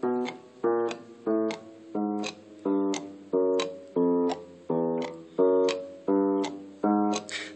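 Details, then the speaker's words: Baldwin console piano with drop (spinet-style) action: sharp dry click on every key as it goes down and returns, caused by old hard, crumbly rubber grommets; fix is replacing them with new soft grommets. "clicking sound is on every key and so I'm going to replace the old dried up grommet rubber grommets with these new ones"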